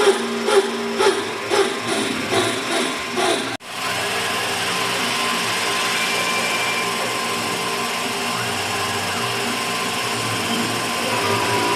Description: Second half is how it sounds normally when it is not making the noise.